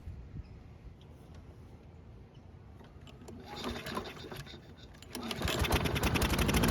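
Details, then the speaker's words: Toro walk-behind mower, free unit with clogged, collapsed air filter, cold start: silent until carb is primed, then catches into a fast, uneven chuff; hard starting because the choke flap is stuck open instead of closed. "So, if you didn't notice it, the choke flap was not closed like it should be for a cold start. That's why we need to prime it to start it."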